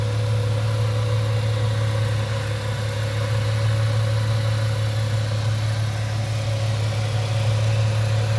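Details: 1998 Ford Mustang, first start after about ten years sitting, warming up as temperature gauge starts to move: steady, even low idle hum with no knocks, misses or squeals; engine running healthy.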